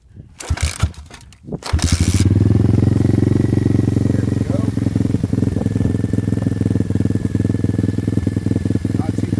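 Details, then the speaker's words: Tao Tao 140cc Chinese single-cylinder kickstart dirt bike during break-in, engine already warmed up: brief handling noise, then it fires and settles into a steady, even thump with a clean, regular beat. Normal idle, pretty mean sound. "Here, I'll give you a sample on what it actually sounds like. It's got a pretty mean sound to it."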